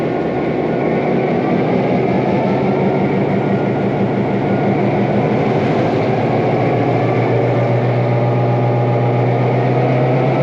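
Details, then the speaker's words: 1949 EMD F7A diesel locomotive after main generator bearing replacement, loading to about 600 amps and moving against the brakes: deep, strong, steady roar climbing with load, very soft load; healthy diesel under load. "this thing has a very soft load it's a actually an excellent passenger locomotive"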